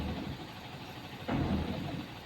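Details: BS6 Tata Signa truck diesel after its dosing-quantity-wrong check-engine fault was fixed with a regen: low, steady idle with an even rumble, no knocks or misses, one brief swell; running normally.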